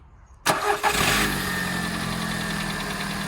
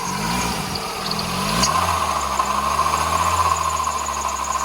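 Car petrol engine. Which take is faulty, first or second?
second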